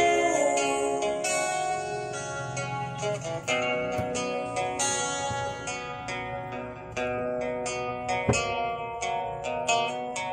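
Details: Orange JBL Go Bluetooth speaker, model unknown, after temporary fix of distorted sound: plucked-string music plays clean and clear with no buzz, rattle or distortion.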